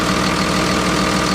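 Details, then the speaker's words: Freightliner MT45 ex-FedEx step van with 24v Cummins and Allison, bought listed as non-running, engine cover off: steady, even diesel clatter at idle with turbo audible, no knocks or misses; healthy normal idle. "Listen how good that thing purrs. There's your turbo right there. She sounds healthy."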